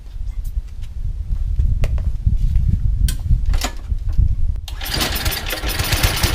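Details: Yardman 21-inch snowblower (31A-285-452) with 5 hp Tecumseh, sat for years, new belt, cold start: a few uneven pulls and chuffs, then catches and settles into a busy even clatter. Normal cold start and running.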